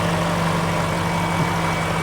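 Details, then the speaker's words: BMW X5 iS V8 at cold idle: low, even hum with no misses, vibration, chain rattle or ticking; quiet, apparently well looked-after engine. "come and have a listen to how quiet the engine and that's also why i'm not too concerned about the chains because this thing is silent it sounds well i think it's genuinely looked after it is so smooth there is no vibrations no"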